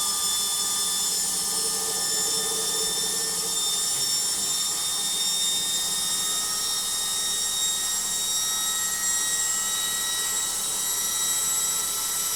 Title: Logik Washing Machine Noisy Spin